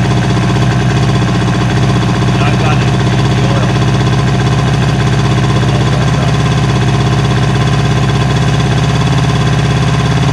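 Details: 1977 Suzuki GT185 two-stroke twin, abandoned and revived, idling on choke: steady, even two-stroke buzz with no misses or knocks; running cleanly.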